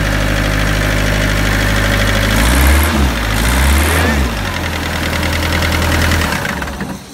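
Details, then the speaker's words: Bobcat 753 skid-steer diesel after a slow-crank/no-crank fault; the dirty starter motor was disassembled and cleaned, and cables cleaned. Starter now spins the engine briskly, it catches and settles into a steady idle; the bad starter is now working. "so starter was bad see now it's working"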